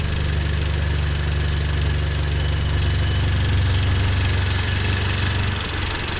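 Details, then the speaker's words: Audi/VW turbo petrol engine idling with a faint steady hiss from a vacuum leak while valve cleaner is run through; idle sags and the engine stalls. "can hear the vacuum leak."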